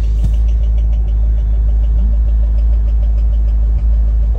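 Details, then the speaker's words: Chevrolet Corvette Z06 V8 barn find, sat two or three years: light, quick steady ticking about three times a second over smooth idle; oil pressure good, owner suspects stuck lifter or something at the serpentine belt side; source unknown. "let's check the oil pressure on this thing keep hearing that noise man I don't like that"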